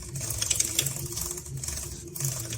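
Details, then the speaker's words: Slack, unevenly worn drive chain turning: uneven light clicks and snaps as it tightens in motion, jumping on worn sprockets; fixed by replacing the chain and sprockets, after which it runs silent. "неравномерный износ цепи как всё это дело выглядит видим Цепь расслаблена проворачивает Цепь как струна"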